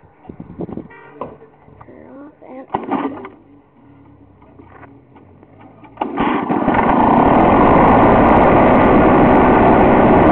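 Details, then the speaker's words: Lawn-Boy two-stroke mower, 20-inch cutter, cold start: after a few pulls it catches and settles into a steady, even high buzz; runs smoothly. "and it runs great and this thing is going to last me for a while"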